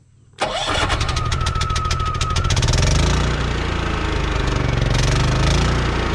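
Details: Champion 3500 W portable generator with remote start, newly installed in an enclosure with two fans on a 1990 Fleetwood Bounder motorhome: brief starter whir, catches at once, settles into a steady even hum; clean start before warm-up.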